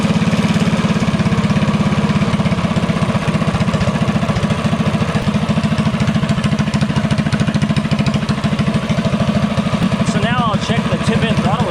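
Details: DuroMax 208 single-cylinder mini bike with a newly installed VM22 Mikuni carb: steady, even, crisp putter at idle with no stumble or hunting. The fuel screw is set for its most efficient idle.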